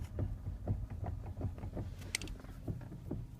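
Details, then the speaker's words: Kia Ceed 2 (JD) at about 12,000 km, steering wheel turned back and forth at standstill: dull knocks about three times a second. Replacing the steering shaft and electric power steering under warranty did not help; the steering rack is next to be replaced. "Всем доброе утро при пробеге около 12.000 я обратил внимание что крутя руль на месте туда-сюда издавался такой щелчок"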